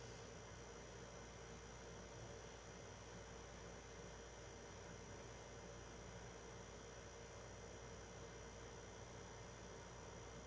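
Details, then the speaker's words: PS4 Pro 3rd gen 7215B running a taxing game's opening cutscene: quiet, even fan hiss and faint hum, no rattle or surging; not insanely loud, normal. "you'll be able to hear it's not you know it's not insanely loud because it's the third gen"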